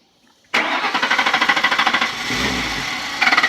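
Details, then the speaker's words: 2003 Lincoln Town Car, crank-no-start complaint; starter churns in uneven pulses, then the engine catches and runs only briefly on starting fluid sprayed into the throttle body, showing a fuel delivery fault with no pump fuel. "all right now as you can see we have a fuel delivery problem so I can't just count and say on the fuel pump drop the ticket on change a fuel pump"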